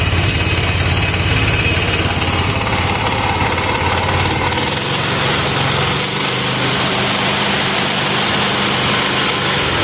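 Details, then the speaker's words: Bad Boy lawnmower engine after replacing ignition coil, choke pulled, little throttle: runs continuously with busy, slightly loud steady buzz; coil was the fault, now firing, somewhat noisy, oil very black and smoking. "Okay, we got it running. So, the the coil was definitely the issue. It does seem a little bit noisy though."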